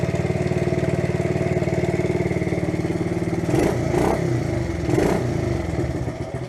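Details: A 1971 Honda CT70 Trail 70 single putters at a steady, even idle with a couple of light throttle blips after transmission repairs and maintenance; runs clean and nearly ready to ride, normal running.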